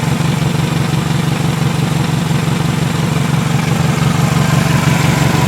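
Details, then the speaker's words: 2000 Toyota Camry, 179k miles, warmed up at idle after misfire repair: steady puffing exhaust beat about three per second with faint tick; leaky exhaust plus slight valve tick. "just the tiniest bit of valve tick with 179 miles on it you know you just barely hear that the main thing you're hearing is just the uh leaky exhaust"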